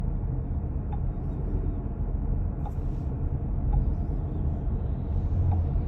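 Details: 2023 Chrysler Pacifica 2WD minivan: faint sharp clicks about once a second over road rumble when gradually pressing or releasing the gas, caused by a loose front axle nut that won't stay tight; dealer tightening stopped it only about a month.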